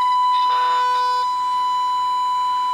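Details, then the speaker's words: Baylor 6 radio after capacitor replacement, fed 455 kHz tone from HP signal generator; clean steady ~1 kHz test tone through speaker without crackle or dropout, volume adjustable, radio itself seems to be working: normal signal path. "and you hear i can turn it up or down here so you can hear it's making it through the radio just fine so that means that the radio itself seems to be working"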